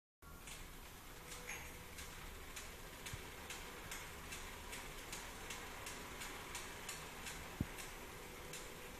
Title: clicking noise while pedaling